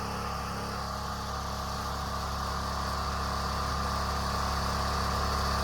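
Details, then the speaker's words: Generator engine after fitting a thicker, tighter-than-factory spring: it holds a steady, fast, somewhat strained drone, running faster than it should; owner suspects the spring and hopes it may stretch back to normal. "It almost sounds like it's running too strong."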